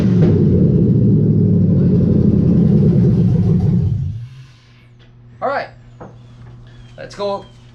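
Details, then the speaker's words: 1991 Chevy S10 LS-swapped 5.3 V8 with 4L60E, first start attempt in park after 0-gauge wiring and new neutral safety switch (no crank in reverse/drive); about four seconds of steady cranking at roughly four beats a second, stops without catching. "now we're gonna put the car in park this should start well it should start the starter fire though so that's a plus"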